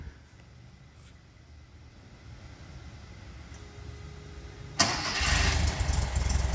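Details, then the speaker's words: 1974 Karmann VW Beetle started from the rear: quiet, then the starter catches and the engine fires straight up into an even, smooth idle and revs cleanly with no smoke; healthy normal start. "as you can hear the engine idles nice and smooth sounds great when it revs fired right up no smoke this car is truly dialed in"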